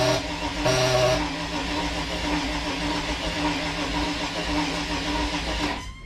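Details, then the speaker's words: Crusader 454 XL marine V8 that sat long with water-contaminated fuel: even cranking, no cylinder catches despite good spark and fuel; compression is suspected. "So we got some really good spark and some really good fuel. So let's take a look and see if we can't find out why this thing isn't firing."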